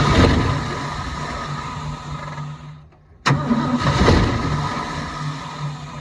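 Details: 1972 Ford F-350 auction truck on a chilly day, bowls full: catches, runs rough a moment, dies to near silence, restarts sputtering; not pumping fuel, and a frozen part found afterward apparently needs penetrant.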